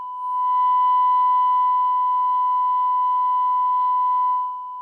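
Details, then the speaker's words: Grundig 2147 radio after FM detector alignment: IF carrier with 1 kHz modulation, detector core set exactly to null; clean steady 1 kHz tone with no buzz or hiss, perfect sine once the noise-picking lead is removed; detector now properly aligned. "This thing is now exactly nulled. And let's see. If I give it modulation, I need to remove this because it's actually acting as an aerial and picking up noise. There's my perfect sine"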